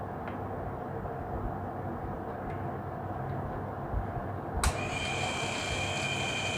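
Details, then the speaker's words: Mixer grinder motor checked with a clamp meter on one wire: strains with a dull hum drawing very high amps and stalls, then clicks and whines as it spins up, later drawing about 2–4 A; winding fault suspected, not confirmed. "यह high ampere ले रहा है और motor रुक जा रहा है देखिए मोटर चल ही नहीं रहा है"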